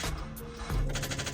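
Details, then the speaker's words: Acura RSX Type S, dead after running for a while the previous day: turning the key gives rapid, even clicking and no cranking. The battery is shot. No-start rapid clicking from a dead battery. "yeah nothing hear that battery is shot so that's another thing I got to do on the list the battery is pretty much cooked"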